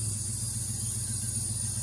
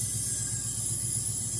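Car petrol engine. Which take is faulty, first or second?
first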